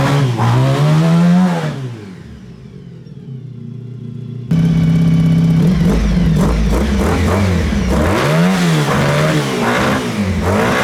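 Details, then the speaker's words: Honda VF1000 V4-powered buggy, driven: strong rising and falling revs with clean, eager pickup after a brief lift; seemed to have original power and all 4 cylinders, though owner didn't check. "Alright, so it seemed like this thing was running a lot better yesterday. It seemed like it had its original power that it had. It seemed like it was running on all 4 cylinders, but I didn't really check."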